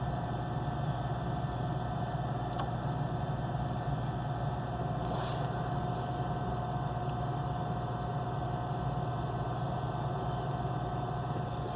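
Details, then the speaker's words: Gas package unit on no-heat call, 90°F day: inducer hums with thin constant tone, spinning but wheel loose and not moving air, so pressure switch fails to close; flashing code 3, lockout, wheel seen wobbling as it slows. "And that is pressure switch failed to close. It should lock out any second now."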